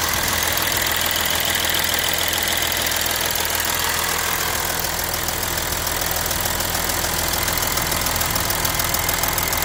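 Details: Audi A6 3.0 TDI diesel idling with sharp, steady metallic ticking about three to four per second on the passenger side of the engine; cause unknown.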